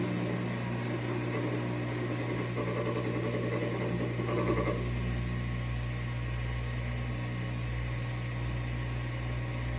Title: HELP- GE front load washer grinding noise when spinning